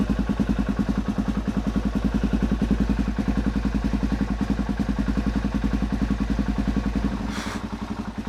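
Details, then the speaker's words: Suzuki DRZ400SM single, first start in 3 months after full restoration teardown: uneven thumping at three to four beats a second steadies into regular firing once fuel reaches it after coolant is drawn through; engine catching as fuel arrives, coolant on header. "Sucking some of the coolant through, that's good. Oh, it's starting to get some fuel now."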